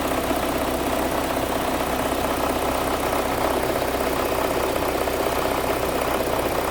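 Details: Audi after timing belt and water pump replacement, first start with electrical connectors left unplugged: harsh, uneven running with a shaky beat about four per second, engine stumbling.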